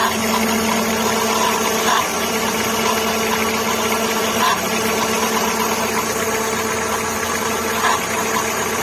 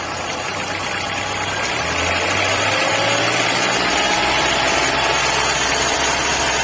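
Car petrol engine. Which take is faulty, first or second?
first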